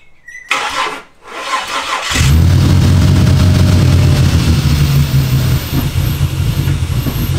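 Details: Ford EF Falcon with swapped Barra turbo engine, first start: cranks, catches, rough idle with rhythmic low knock about three per second; fuel pressure drops with each knock.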